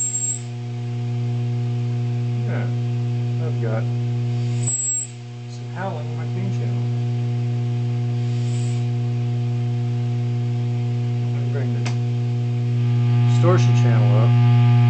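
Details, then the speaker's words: Vacuum-tube guitar amp on clean channel: loud steady low hum with a buzzy edge, rising slightly at the end; 120 Hz buzz suspected from high-voltage supply rectifier switching transients getting into the amp, not heater windings; cause unconfirmed. "that means this 120 cycle buzz with an odd wave form shape something somehow the switching transients from the high-voltage supplier are going through the amp"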